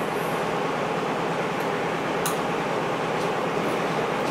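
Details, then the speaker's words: Braillo braille embosser magnet rack after adjustment: a steady, even mechanical hiss where clicking was heard before. "so now no more clicking so once you have it in place you just tighten it down"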